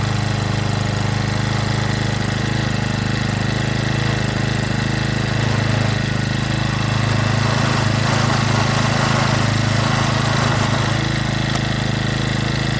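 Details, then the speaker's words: Stihl FS65-4 four-stroke strimmer after repair from oil overfill, warming up with no leaks at grommet: steady low drone with uneven, lumpy idle beat, likely residual oil burning off; may need deeper investigation. "Let it warm up. I think we might need to delve a bit deeper."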